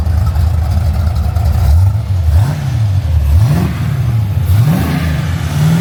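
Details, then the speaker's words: HK Holden with a 350 Chev small-block V8, just fitted with a Holley HP 650 double pumper carby; leaks fixed, needs fine tuning. Deep lumpy rumble with sharp free revs rising and dropping back cleanly, no knocks or misses. Engine sounds healthy. "Sounds healthy to me, boys. Shit yeah. Righto. Absolutely stoked how we're going at the moment."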